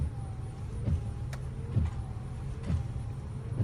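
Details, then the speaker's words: $500 project car that won't start: dull, unevenly spaced thumping clicks about once a second with no cranking; owner suspects the engine is locked up, possibly hydrolocked from driving through water, starter clicking trying to turn it; unconfirmed. "I don't know if you can hear it, but you can hear it clicking trying to start. So, I don't know if it's just the motor's locked up."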